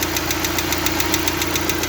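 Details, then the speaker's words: Lada Largus/Vesta fully warmed up with the oil pressure light on and pressure dropping toward the red. Sharp, even hydraulic lifter ticking at about seven per second persists at idle. "тут показывает что уже прогрелся полностью все деления включились но компенсатор всё ещё щёлкает пока что ВС ещё щёлкает"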